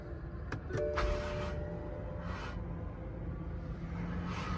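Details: BMW M car at a salvage yard, possibly doctored; starter whirs steadily with a low chugging beat about three or four times a second but the engine never catches; long crank, no start.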